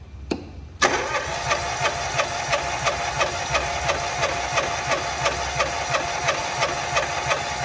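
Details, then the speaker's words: Fiat Palio cranking during a cylinder compression test: even cranking pulses about three per second with a thin, high screech; the starter motor is squealing and is to be removed for servicing. "tá bom motor de rank tá gritando aí vocês viram né"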